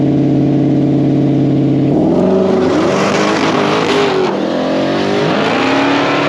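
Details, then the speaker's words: Blue car on an aborted drag pass (about 142 mph): the engine sits flat at a high pitch on the rev limiter for two seconds. Shift points are commanded too late, so it won't upshift; pitch drops only after he lifts off the gas, then it carries on fine. "the car is the shift points are being commanded too late and it hits the rev limiter and won't shift when he lets off the gas it goes into the next gear"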